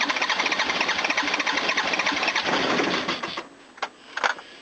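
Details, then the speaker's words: Toyota diesel cranking after fuel work: pump doesn't seem to work, air in the fuel lines; starter grinds over about three and a half beats a second without firing. Long cranking from air in fuel system; may need to crack injector lines. "Right, we got air in there now. Sucks. I just gotta crank it."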